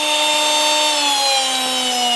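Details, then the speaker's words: Makita XMU04 cordless grass shear after repair, free speed for about 10 minutes, motor about 28 °C, less than lukewarm, drawing about 0.4 A: clean steady whine easing slightly lower, no grinding; normal run. "nothing is overheating it's been running for I'd say 10 minutes see it's it's less than lukewarm it's drawing about 0.4 amps from the battery"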